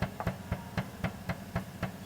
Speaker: Tu steering rack jalan tak rata, ada bunyi.